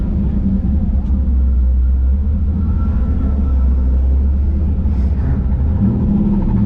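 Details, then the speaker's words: LSX V8 swapped Infiniti G35 on first drive, revved: deep even rumble with strong intake roar rising and settling cleanly, no knocks or ticks; normal revving. "it sounds good from about here there's a lot of intake noise from up here yes it's a good s an engine set up"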